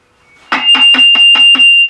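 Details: NuTone 478 apartment intercom control amplifier on a workbench, connected to a speaker: a bright pulsing call tone of six quick buzzy bursts at about five a second, working normally.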